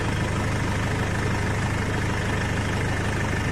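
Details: Nissan Navara diesel pickup with about 430,000 km, after timing chain replacement, idles with a steady even low rumble and no chain rattle or slapping; normal idle.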